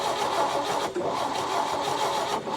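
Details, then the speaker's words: 1961 Chevy Biscayne, 235 inline-six, three-speed manual, sat 30+ years in a junkyard: steady starter churning with rhythmic dips, never fires; valves all move, fuel in carburetor, owner suspects ignition timing issue. "we have fuel in the carburetor it's got to be a timing issue just has to be there's no other option so it's got to be a timing issue"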